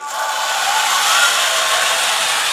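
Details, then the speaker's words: Steel dual-ratio gearbox in IMEX Panzer III metal hull, lapped 30 seconds with Loctite Clover 320-grit silicon carbide grease: a smooth, even, high whirr with no knocks or grinding. It now sounds about as quiet as brass. "that there's not a whole lot of difference in noise, and it's all because of the lapping compound."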